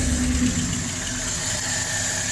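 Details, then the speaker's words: Cold LaSalle engine with choke opened: flat, steady exhaust drone that won't rise or sharpen as throttle is added, bogging with no power; anti-percolation rods moving up and down, idles fine and runs well on choke; fuel starvation suspected. "So you can hear the exhaust is not that well. The more throttle I give it, you can feel it's just, you can hear it, just no power there."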